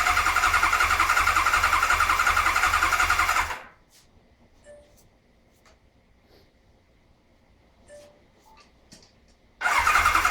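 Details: 1992 Kawasaki KZ1000P, first start attempt after a fresh rebuild and modification: the starter turns the engine at an even beat of nearly four per second with no firing, pauses, then cranks again. Cranks but won't start.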